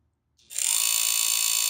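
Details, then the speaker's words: Chugger pump motor spins up into a fast, hissy ratcheting click as a bent rear cooling-fan blade strikes the aluminum rear housing; fixed by pushing the bent blade back in. "clicking noise so the fan blade is going to hit the rear housing also it's not a disaster it's easily fixed"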